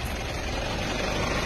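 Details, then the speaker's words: Mitsubishi Montero common-rail diesel at idle running Hyundai-brand oil; harsh metallic cricket-like chirping rattle and engine shaking attributed to unsuitable oil, gone after an oil change. "isang dahilan kung bakit nagkakaroon ng malakas na noise yan kailangan agapan niyo yan ang sama ng tunog para po siyang kuliglig"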